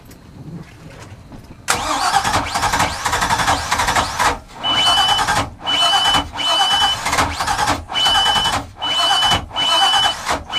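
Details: Mercruiser 6.2L boat engine with hard starting, after replacing starter, distributor cap and rotor: short crank, catches at once, quick throttle blips pull cleanly; normal start.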